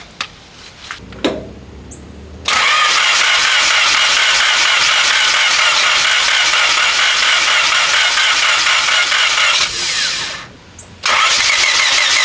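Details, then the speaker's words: 1997 Honda Civic EX coupe, built turbo D16Z6, after cooling-system work: starts into a rough, uneven, wavering idle; moving the coil-on-plug wires changes how it runs. "I can tell that by moving the wires on the coil on plug system that's definitely got something to do with the car running not as well"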